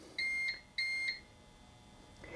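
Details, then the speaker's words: UPS powering Starlink, unplugged to simulate outage, on battery: two clear high-pitched beeps about a third of a second each, roughly 0.6 s apart, in a quiet room; normal on-battery alarm. "and you hear the beeping noise there well I could disable that"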